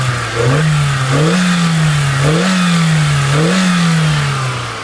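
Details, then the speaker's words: 2003 Kia Spectra four-door sedan, 5-speed manual, about 10 years old: four clean throttle blips with pitch rising and falling smoothly. There is no valve train noise, knocks or taps; the engine sounds healthy. "all right folks now you don't need to be mechanic to know that that sounds terrific there's no valve train noise there's no knocks no Taps nothing odd at all as far as sounds coming from the motor"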